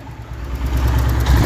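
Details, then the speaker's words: Royal Enfield Hunter 350 single at idle after tappet (valve clearance) setting at the third service; deep even thumping, no top-end ticking, described as completely silent; normal idle. "तो आइए seat की आवाज सुनाते हैं आपको। आवाज check करिए इसकी। एकदम साइलेंट है।"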